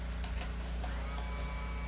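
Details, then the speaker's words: Gen2 Suzuki Hayabusa engine in a project build, first key-on after wiring in the fuel pump and sender and adding fuel to over half a tank: a steady low hum with a few light clicks as the fuel pump primes normally. "hopefully we'll see that the fuel um gauge goes up we'll hear the fuel pump go on and hopefully it will pressurize the fuel system"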